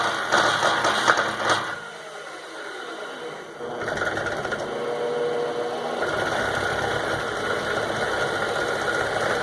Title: Lathe machine making noise